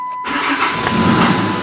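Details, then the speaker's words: 2008/9 Dodge Ram 2500 6.7 manual, after fixing a battery-to-battery connection causing voltage drop: short crank catches almost at once and settles into a steady even run; normal start. "let's start under its own power 258 that was mal than the old Dodge now she cranks like a chant"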